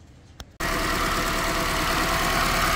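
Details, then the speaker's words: 2010 Toyota Corolla shaking at idle: shaky idle with a faint, uneven stumble, a steady misfire that stays on cylinder 2 after swapping ignition coils, so the coil is ruled out; cause not yet confirmed. "Y qué es lo que pasa aquí sigo teniendo la falla en el dos muchachos sigue la falla en el dos Entonces el problema no es la bobina"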